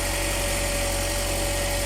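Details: Ford Escape at idle after accessory belt squeal was fixed (alternator with broken overrunning clutch replaced earlier): steady, even idle with one faint constant tone, no squeal or chirp; healthy.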